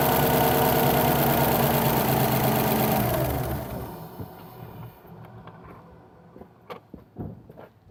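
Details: 2008–2014 Subaru WRX with a newly installed Cobb intake (post-MAF, no tune): a strong, even rev drops smoothly back, leaving light clicks; the engine sounds healthy and unstrained.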